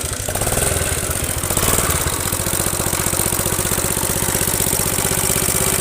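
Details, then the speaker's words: Suzuki Smash motorcycle engine at idle: after it catches, a fast, hard, rattly knock rides over the idle; con-rod and piston are worn loose, with smoke at the piston rings and a worn sprocket. "bisa kita simpulkan bahwasanya tiang sokarnya juga, tiang pistonnya udah oblak, piston juga udah oblak, udah berasap di bagian ring pistonnya."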